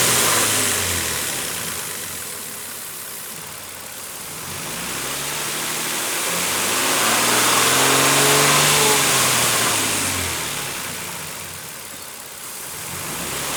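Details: 2007 Nissan Frontier after dealer replaced the camshaft chain, tensioner face, O-ring seals and front crankshaft seal: revs rise and fall smoothly with no speed-following whine. Earlier engine whining noise is gone; normal running.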